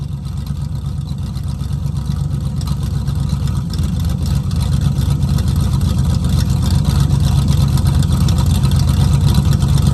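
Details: 1969 Mustang V8 that sat 15 years, rough idle: deep lumpy lope around four pulses a second, not firing cleanly; vacuum advance just reconnected, rusted holed mufflers make it loud, running rich, not yet hot; owner suspects plugs and plug wires.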